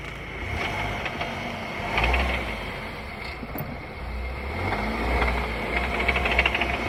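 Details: VW Tiguan drivetrain: loose, uneven clattering bursts, about three per second, that come and go with load changes over a quiet engine. The owner suspects the gearbox or dual-mass flywheel, but the cause is unconfirmed.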